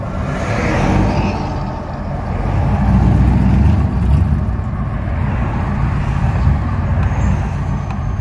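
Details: 1997 GMC 5.7 V8 warm at idle: an uneven, stumbling beat that is a misfire, though it runs great until warm. The distributor, plugs, cam sensor, fuel pressure regulator, intake and MAF are already new; the cause is unknown.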